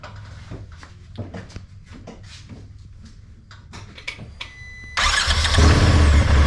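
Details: 2021 Turbo XP that had a no-crank fault, crank sensor refitted and everything torqued, started in park: a few seconds of clicks, then the engine catches cleanly and settles into a steady, even run; healthy start.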